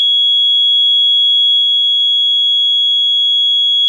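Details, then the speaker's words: Late-1970s ADE keyswitch burglar alarm control panel set to full guard: loud steady high-pitched exit-delay buzzer that never times out, so the panel never arms; cause unknown. "you'll hear the buzzer the bus is actually quite loud but then it'll it just won't stop so this is now you counting down time this is time to exit the building"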